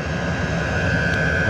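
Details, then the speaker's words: Homemade portable 12-volt diesel air heater in a box, running a few minutes on its highest setting from a 9 Ah 12 V battery: even fan whistle over a smooth steady combustion roar with no surging or popping. Normal running. "okay folks so here's the box operating it's been running for a few minutes i currently have it set on the highest setting it has"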